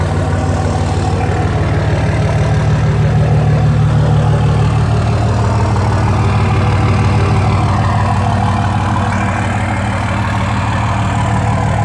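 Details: 2004 Dodge Ram 5.9 Cummins diesel after bad injectors were replaced: steady, even clatter at idle, about three beats a second, no misses or knocks; engine sounds healthy.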